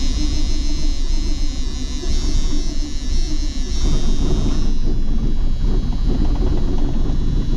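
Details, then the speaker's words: John Deere 8820 combine diesel started after sitting, in neutral with the e-brake on: it catches and then runs rough and stumbling, spitting instead of idling; the owner suspects the fuel ran back after priming. "Well, it fired up, and then it spit and sputter, and I just primed it up, so I think the fuel might have ran back a little bit."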